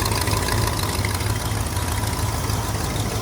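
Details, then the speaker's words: 1970 Ford LTD 390 V8, automatic, 79,000 miles: lumpy idle with a low, fairly regular puffing of about three beats per second; owner suspects a small exhaust leak. "Sounds like she's got just a small exhaust leak."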